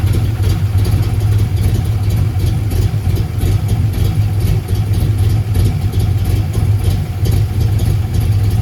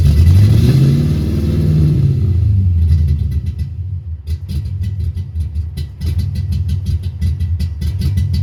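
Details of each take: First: 1990 Ford Mustang LX notchback 5.0 with F-cam, 30lb injectors, no O2 sensors, idle adjusted, plugs not checked; low, fairly even V8 burble with slight wavering, much better than at first start, though finicky when cold. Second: 1990 Ford Mustang LX 5.0 V8 (GT-40P heads, 30 lb injectors) that would not start; bad EEC power relay swapped: deep, lumpy, hunting rumble like four or five cylinders. Owner suspects heavy fuel glugging; several MAFs and computers tried, possibly a harness fault.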